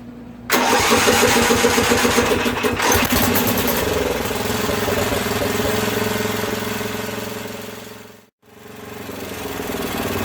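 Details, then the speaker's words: Craftsman 13hp OHV Tecumseh rear-engine tractor after valve work and idle-jet tuning, running hot; uneven idle with wavering speed and a little clatter, briefly dying; rough running, owner suspects fuel system or float. "so it's idling well it's adjusted enough for now i hear a little clatter"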